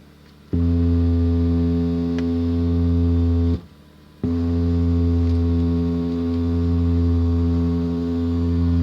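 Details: 2005 Camry radio: a loud, steady low hum drones from the speakers, cutting out briefly and returning unchanged. Finding: audio system hum.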